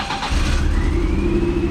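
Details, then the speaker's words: M42 four-cylinder engine during a boot-mount turbo install, running on three of four cylinders; heavy, uneven, low chug like a tractor with one cylinder not firing, a misfire. "three cylinders out of four that's that's a that's a pass you need 50 cents to pass in high school oh it sounds like a tractor it runs like one"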